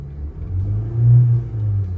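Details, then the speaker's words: 2014 Honda Civic with a P0302 misfire code, rough idle, check-engine light on and going into limp mode: revs swell and fall with a lumpy, uneven exhaust pulse; ignition coil suspected. "all right no codes but it still does feel like a rough idle all right here it comes engine light is on"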